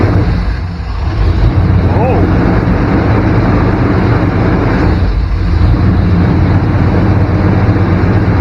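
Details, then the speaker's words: 1994 Chevrolet K1500 Blazer idling at about 1500 rpm: steady fast idle that drops briefly when probed, well above normal speed; significant vacuum leak somewhere, air cleaner to be removed to look. "hear that idle drop got a significant leak here somewhere i think we can pull the air cleaner off and have a look"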